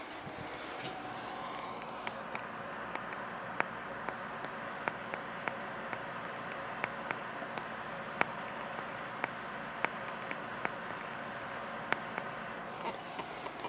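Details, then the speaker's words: 1950 Zenith H725 AM/FM tube radio, not playing, powered on with no input or cheater cord connected: sharp pops once or twice a second over a faint steady hiss from the speaker; cause not yet found. "hopefully the microphone picked that up it's popping"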